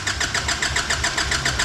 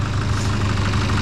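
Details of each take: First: Nissan Patrol diesel after new injectors, seals, fuel filter and EGT sensor: even cranking pulses about three or four a second without firing; air in the fuel system after the filter change, needs priming. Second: Nissan Patrol diesel after new injectors and fuel filter change, previously blowing black smoke: low, smooth idle with steady rumble and no harsh knock or misfire; sounds much nicer, normal idle.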